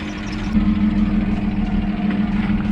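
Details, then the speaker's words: Neglected Ford Falcon just started after sitting a while: steady idle with a faint light lifter tick and a thin squeal from the accessory belt riding over it; owner judges it not too bad. "still hear that lift the tick and that squeak from the belt that's not too bad I'm gonna run for a bit"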